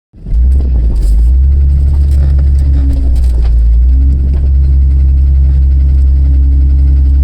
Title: 4.No Piston Slap and Fan Obstruction